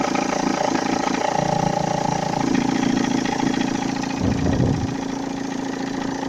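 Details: 1.9 JTD diesel idling cold with a light rapid knock and faint rustle, about three to four per second, that disappears when revved. Tensioner and idler rollers already replaced; owner suspects compressor bearings, unconfirmed.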